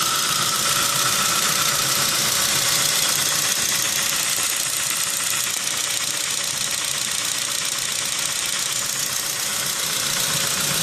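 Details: Saab 9-3 with over 190k, idling with a light, quick lifter tick about two to three ticks a second over a steady hiss; the bad lifter tick was fixed with a bottle of motor flush.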